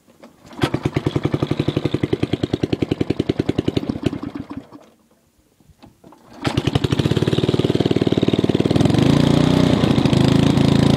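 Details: MTD 5 hp rotor tiller first run after about ten years, new spark plug, points and condenser, worn choke cable: harsh sharp popping exhaust at fast idle, dies, restarts louder; muffler rusted through, exhaust leak, essentially straight-piped.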